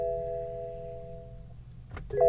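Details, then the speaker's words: BMW at a Copart salvage auction, ignition on, car not in Park: a two-tone dash chime rings steadily, then a second chime as starting is tried, with "battery discharged, start engine" shown; a dead battery is suspected, not confirmed. "okay I think this cars got a dead battery battery discharged start engine these things these things really aggravate me"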